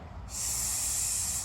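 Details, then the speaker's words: C3 Corvette headlight vacuum system, engine just shut off with lights open: steady airy hiss from vacuum leak at one headlight actuator, system drains completely in about 5 seconds, slower headlight; actuator removed and repaired. "I can hear it. That's how you can tell there's a vacuum leak."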